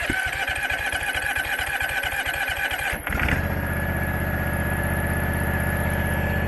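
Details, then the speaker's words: Abandoned Husqvarna mower, possibly a 2002, V-twin, start after carburettor reinstalled: starter chugs, catches near three seconds, then a steady droning hum with lots of smoke; running rough, head gasket looks fine. "will it run okay but there's a humming noise and it seems to be blowing lot smoke"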